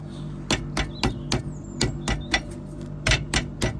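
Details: Ford Transit M7 rear leaf spring, rocked by hand: sharp, loose knocks three or four a second as the spring's worn rubber bush rattles; bushes and springs to be replaced; worn leaf spring bush.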